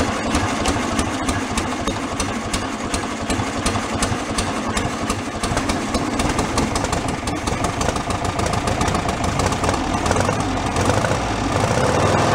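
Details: 1970 VW Super Beetle air-cooled flat-four, sat over 30 years in a leaking garage, first run on fresh fuel: uneven clatter and irregular ticking over the idle, seeming to settle down; oil pressure present; uneven running noise, cause unconfirmed.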